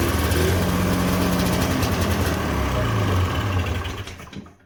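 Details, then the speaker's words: Cheap two-stroke snowmobile running with a bolt plugging the carburetor. Raspy running with sharp popping chuffs at a fast steady beat before it dies away. The cause is a hole in the exhaust. "Got a hole in the exhaust right there."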